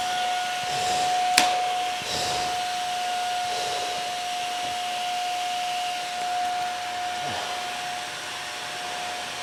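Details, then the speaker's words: Vacuum on its fifth cup of baking soda: steady high strained whine with airy hiss and little suction; all filters failed after about the third cup, so it no longer picks up properly, bin still below full line. "we put five cups through it and after about the third cup we saw all the filters fail which means the machine is no longer working as a vacuum and we saw the machine not pick up properly"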